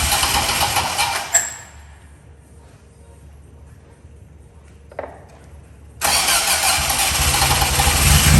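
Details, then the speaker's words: Fiat X1/9 during restoration, first engine start with fresh oil, started through a relay from the back of the car instead of the key. Catches and settles into a steady, even idle with no misfires or knocking; normal start. "i've rigged up this relay so i can plug it in and start the engine from the back of the car rather than using the key adding oil and doing a few final checks before we start"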